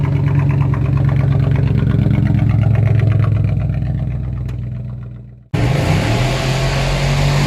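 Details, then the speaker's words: Supercharged car after its rattling catalytic converter was replaced with a direct-fit unit, straight pipe from the cat back: a strong low drone through a rev that falls away at shutoff, then a loud raspy idle. A normal free-flowing exhaust note; the supercharger whine can no longer be heard. "but I guess with the new catalytic converter, free flowing air is making it a little louder and it's a bit raspy to it."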